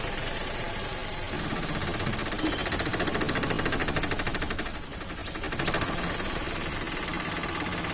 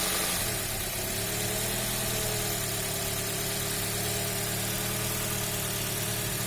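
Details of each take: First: Toyota Axio petrol engine with electronic throttle body, unstable idle: fast even patter swells, sags and recovers; rpm problems, weak pickup, AC problems and stalling, caused by a dirty throttle body (butterfly) needing cleaning. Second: Toyota Axio petrol engine that had idle, rpm drop and pickup problems from a dirty electronic throttle body: steady smooth idle, no misses or hunting, after throttle body cleaning.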